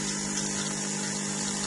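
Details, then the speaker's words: DeLonghi EC270 espresso machine with newly installed water pump, second test with empty filter holder: steady buzzing drone, no knocks or stutter while water flows; pump working normally. "C'est parti. Le bruit est normal. On attend que l'eau sorte."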